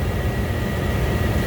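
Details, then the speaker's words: Ice-rink skate room furnace after repair, heard from the party room after running a while, 54 degrees with thermostat set for 66: smooth, steady low roar with faint constant whine, no rattles, scraping or cycling; normal running. "You can hear the heater. You can definitely smell the heater. It has been running for a while."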